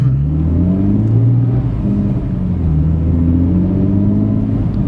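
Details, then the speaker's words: VF Stage 2 supercharged car, second third-gear pull floored from 2,000 rpm: uneven, wavering drone surging rather than building smoothly; jerks under full throttle at low rpm, recurring and preventing a third-gear pull. "Figure out some other way of measuring third gear because we can't do a pull because when we floor it, it jerks."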